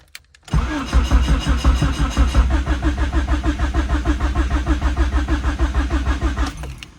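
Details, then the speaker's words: Turbo D16 SOHC Honda Civic just fitted with a Speed Factory Savage camshaft and adjustable cam gear: steady starter cranking with even compression pulses about three per second and no firing, coil disconnected, to build oil pressure before first start. "all right so we're going to crank it to get some oil pressure"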